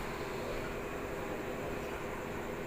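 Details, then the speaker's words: Panasonic washing machine repaired for U12 error code (not spinning dry); after repair a steady, even hiss of water filling the tub with no knocks or buzzing, a normal fill. "อาจเติมน้ำนะครับเท่านั้นเติมน้ำนะครับก็ตัวอย่างนี้ถือว่าสหนามเข้าไปแล้วครับนะโอเคอย่างนี้ถือว่าทำงานนะครับ"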